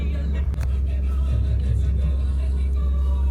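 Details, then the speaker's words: 2008 Ford Expedition after new throttle body install and reset: low steady idle just under 700 rpm, no stumbling, hunting, ticking or surging; no lights or codes; smooth healthy idle. "Let me start it up and see what it does. See, it's running pretty smooth."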